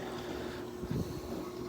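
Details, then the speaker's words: Frigidaire dishwasher in component test mode, step two with the bottom wash arm running: steady churning water with an even low pump hum and no grinding. Circulation is normal; the pump is good and the filter is not clogged. "here's some good wash action you can hear it churning around that's a good thing if you had bad pump or clogged filter you wouldn't hear it spinning as much"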